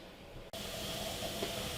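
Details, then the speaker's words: Pressure canner, wing nuts tightened, venting through the spout for 10 minutes before the weight goes on: after brief quiet, a steady, even hiss of steam starts and holds; normal steam venting. "As soon as steam starts coming out, we're going to set a timer for 10 minutes and allow the steam to continuously escape for that 10 minutes before we place the weight on."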